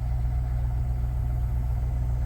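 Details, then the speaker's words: Truck 5.3L LS V8, in original truck, due an oil change: steady, even low idle rumble with no knocks, misses or top-end ticking; decent oil pressure, idling smoothly. "needs an oil change I'll just go ahead and seems to idle all right got decent oil pressure"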